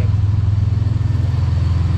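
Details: Vehicle with a freshly built engine under 1,000 miles, still breaking in, idling after all four wheel bearings were replaced for a front-end noise when turning; steady low rumble with even pulses about ten per second, no misses or knocks; idles cleanly.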